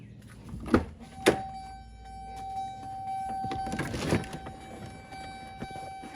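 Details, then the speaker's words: 2007 Duramax LBZ after a fuel filter change, before startup: faint steady electric whine for several seconds between a couple of clunks as the lift pump primes normally, no leaks. "Gonna let the fuel pump kick on. there. No leaks right here. Man, that sounds good."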